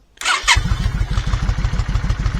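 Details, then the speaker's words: Yamaha Virago 535, cold start without choke on a chilly day: it catches, then a lumpy, stumbling pulse that misfires and won't rev up until warm. "Doesn't want to rev up. Starts okay-ish, doesn't want to rev up. Sounds like it starts misfiring as soon as you do."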